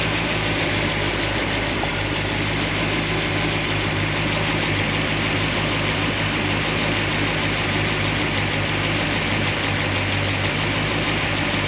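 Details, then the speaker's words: Solid roller lifter engine, warm idle after fixing pushrod guide plates: steady, even valvetrain with only a faint light tick, slight noise on passenger side, no lifter clatter; fixed, cause was guide plates, normal idle. "Drive it around a little bit, but for me, this seems like this is a win. This is a fix. So it was the guide plates."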